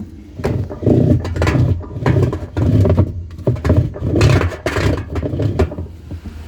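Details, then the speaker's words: Washing machine model LC17 not agitating while basket spins normally: low rhythmic clunks and rattles about two a second as the agitator slips; its shaft coupling splines are corroded and stripped. "Olha aqui já não tem mais as estriazinhas, né? Não tem o encaixe mais do eixo. Foi tudo corroído, comeu tudo, ó."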